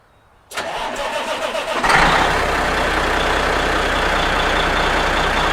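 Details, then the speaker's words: 1983 Kenworth cabover diesel with 8-inch exhaust pipe, which tends to lose prime when sitting but apparently didn't overnight: brief crank, catches promptly and settles into steady even idle with deep exhaust; no smoke, healthy start. "so uh going to fire her up gives us a chance to hear that badass exhaust you know what I mean"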